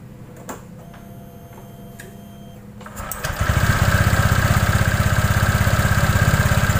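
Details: Honda Vario scooter CVT after replacing a damaged drive belt and a failed rear pulley bearing caused by a worn roller housing: the engine settles into a steady, even chug of about four beats a second with no clunks, squeaks or grinding.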